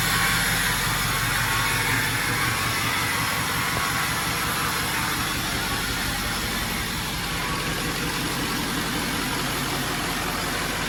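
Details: Ford 6.0L Power Stroke diesel swapped into a 1974 Ford Dentside crew cab on an 06 F350 chassis, first start after priming the drained fuel system, no coolant yet, new battery; steady, even clattering idle without misses: normal idle.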